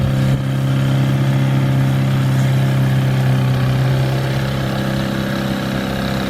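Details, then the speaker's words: 1961 Mercury Mark Super Hurricane outboard on a 1959–60 boat, after water pump repair with rebuilt cartridge and new gasket installed the right way round: steady healthy running note with strong low hum, good water flow, no knocks or stumbling. "okay well i would say it makes a difference how the gasket goes on good water breakfast"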